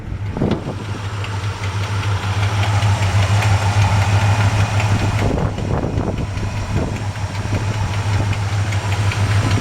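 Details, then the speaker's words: 1966 Chevy C-10 longbed with a 350 V8, just started and still cold, idling with a steady burble and a faint occasional light thump. A small exhaust leak is suspected, possibly headers needing re-torquing after heat cycles. "Sounds like it might have a tiny little exhaust leak. I can't tell what that little thump is, and it could just be, you know, after a while, those headers need to be tightened down again, torqued again after the engine's gotten hot and cold from being driv"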